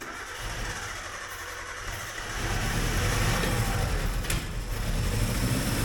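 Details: Suzuki Samurai abandoned for 20 years, first start attempt with fuel-system work still underway: the starter churns, then the engine catches partway and runs unevenly and lumpy without settling into a clean idle; cause not confirmed.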